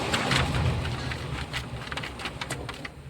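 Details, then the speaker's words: A-Star car, AC blower fan run with the key on and its socket plugged in. Even whirring hum with an airy rush and a few handling clicks. The blower spins smoothly; normal operation. "பாருங்கள், இதுதான் blower fan வந்து speed வரும்."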